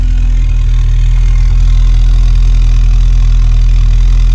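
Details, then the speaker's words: 1986 VW Golf 2, 1.8 GX 90 hp petrol, cold start at about -13 °C after engine problem fixed: deep steady even idle with smooth low rumble, no misses or knocks; starts slowly cold, runs fine after a minute or two. "конечно в холодную немножко он медленно стартует вы видели но немножко газу dash и через одну-две минутки он работает но слышите все работ"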